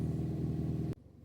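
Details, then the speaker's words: Mini R56, cold start after injector cleaning, overhaul and replacement to fix a cold-start misfire: a steady, even low rumble at idle with no stumble or skipped beats before shutdown, running smoothly. "Proviamo con l' avvio a freddo. Direi che funziona molto bene."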